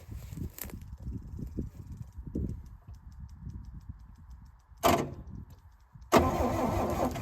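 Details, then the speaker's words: 1966 Chevrolet C10 last licensed in 1979, key not cranking it, fuel line off, starter jumped with a screwdriver: short cranking bursts turn the engine over at a slow uneven beat without catching; engine turns freely. "Oh, yeah. All right. It definitely turns over."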